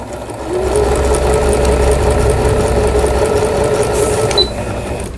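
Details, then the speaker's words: Singer Computer 9780, Japanese-domestic, used about 10 years, repaired after a stiff seized pulley from a needle-damaged bobbin case and misangled hook race: quick, even needle rhythm with no knocking. "오버록 스티치까지 정상적으로 박음질이 되는 신거미싱 컴퓨터 9780이라는 기계, 일본 내수형 재봉틀로 보여지는 기계입니다. 속도를 슬로우에 맞춰서 천천히 아래실 위실 장력 아주 고르게 나옵니다. 수리가 잘 됐네요."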